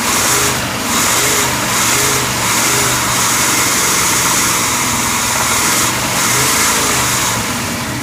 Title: 1990 454 Crusader rod knock